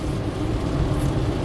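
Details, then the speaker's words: 2007 Honda Fit, 130k miles, after a misfire under load: a steady, unbroken engine drone while driving with no stumble, fixed by cleaning corrosion between coil tip and boot with WD-40. "nice no parts it drives absolutely perfect so it looks like this problem was caused by some corrosion between the coil tip and the boot"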